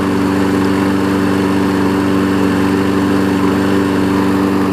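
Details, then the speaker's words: 5hp Briggs engine on a 2014 Weed Eater push mower deck. A smooth, even, steady drone with no misses, surges or knocks; it sounds healthy and settled. "And if it didn't have the older engine on it, even though this older engine runs good, it might be $100 more, but I'm going to list it for 80."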